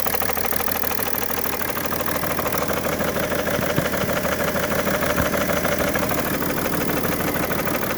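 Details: 2011 BMW 335d diesel bought already knocking and smoking heavily: steady sharp knock about three raps a second at idle, source not yet found.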